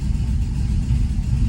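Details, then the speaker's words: 2016 Chevrolet Camaro 6.2 LT V8 with DOD delete, at idle: deep uneven lumpy rumble, engine shaking yet scanner shows no misfires; failed lifter. "I definitely feel it. It's shaking all over the place. I don't know why there's no misfires detected."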